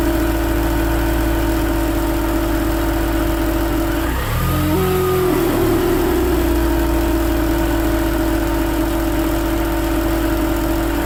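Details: BMW Mini Cooper R53 after a supercharger refit: at idle and blips, a steady mid-pitched whirring stays the same across all revs; the supercharger was oil-starved because the oil tube from the rocker cover to it had collapsed.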